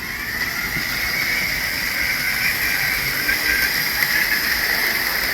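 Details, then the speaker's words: Tyco Grand Trunk Alco C430 model locomotive power torque drive, after cleaning and oiling to fix rough running and a squeak. Smooth, even motor whir with a steady high hiss, no knocks or stumbles; running well. "I think it's running pretty good."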